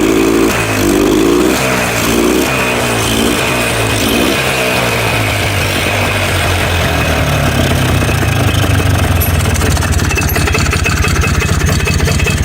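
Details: 4-wheeler bought as a parts machine, after new starter fitted and throttle corrected, blue smoke showing oil reaching it: engine catches, blips up, then settles into a steady, even idle with no knocks or misses; running normally.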